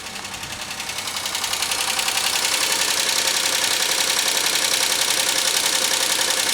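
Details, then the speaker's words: 2003 Pontiac Grand Am GT at about 118,459 miles, idling at its first oil change: steady sharp ticking at about 160 a minute, noise not changing; owner suspects a lifter is completely shot. No oil light, no smoke. "Noise isn't changing. So that lifter might be completely shot from this whole issue."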